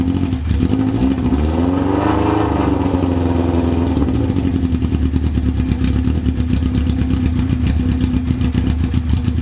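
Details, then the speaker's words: 1994 Yamaha FZR600 sitting 15+ years, throttle cables returning properly, no choke; blipped revs rise then sink back slowly over seconds before settling to a rattly idle; revs hanging, cause unknown, though it idles well. "all right it didn't really like to be revved but it does idle pretty well I'm pretty impressed with how it idles"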